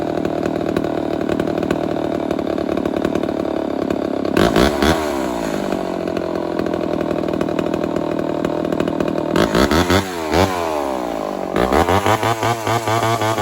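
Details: Homelite 1050 100cc chainsaw with 404 chain, first time cutting wood, owner suspects an air leak: big saw snarls and surges unevenly in the cut, revs sagging and recovering; bogging under load, cause unconfirmed.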